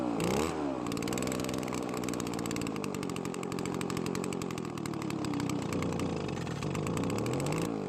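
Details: Well-used Echo two-stroke leaf blower, previously dying after a minute, treated with Marvel Mystery oil: raspy buzz with revs drifting up and down during major carburetor mixture adjustments, never pulling strongly, very low on power; low compression.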